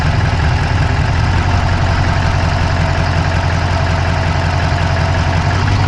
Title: Dodge Charger Hemi fast clicking sound, inside Passanger Side engine bay view,insta360 go3.